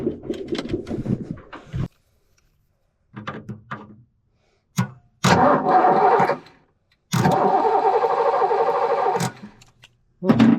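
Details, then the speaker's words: Ford Foxbody sitting 10 years, first start attempt: repeated bursts of steady starter cranking, never catches; spark confirmed, fuel pump always on, owner suspects injectors not working; crank no start. "I bet you, guys, it's these injectors. I bet you they're not doing their thing."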